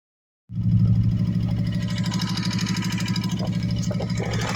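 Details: 2014 Kawasaki Vaquero side-by-side engine before repair: it catches and idles with a light fast lifter tick riding over a low rumble; replacing the front four lifters eliminated the ticking.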